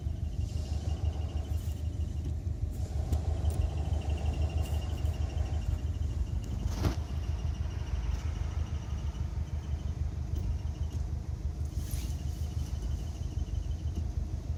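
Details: Subaru WRX at idle, about a month after a new clutch kit and release bearing, starting after a long 300-mile drive: thin high squeak coming and going over a steady idle; owner suspects the release (throw-out) bearing.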